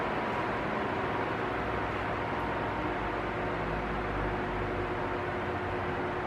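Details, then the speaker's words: Arno Silence Force 40 cm fan, almost two years old, running on its lowest setting: an even, soft rush of air over a faint constant hum, with no surging or rising and falling noise. Normal operation. "Esse já tem quase do anos de uso, né? E mas você veja que é bem diferente do que ficar subindo, descendo o barulho aí, né?"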